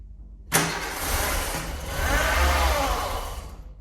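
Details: 1988 VW Golf MkII barn find, stood 14 years, new fuel pump in sender, old secondary pump still fitted: engine cranks, briefly catches with uneven roar, stumbles and dies within seconds; hard start, needs retries before it finally runs.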